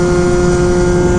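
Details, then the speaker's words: Piaggio Typhoon two-stroke with an upgraded carburetor, running cool (under 200°F) on the street at top end: steady, high, even buzz pulling cleanly with no breaking up or misfire, healthy high-rev running. "pulling through. It's not breaking up at all."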